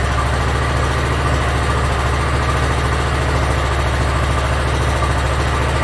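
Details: Yard Machines (MTD) 42-inch riding mower engine after carburetor cleaning and freeing a stuck emergency shut-off: steady, even low-pitched idle with a smooth regular beat, no misses or knocks; runs pretty good.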